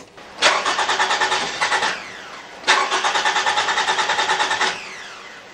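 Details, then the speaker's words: 2014 Toyota RAV4 2.5 litre with an intermittent no-start: two long bursts of even cranking about three turns a second, never catching; no fuel pressure, likely a bad segment in the fuel pump. "that's interesting I haven't got any fuel pressure now since it's playing up right now"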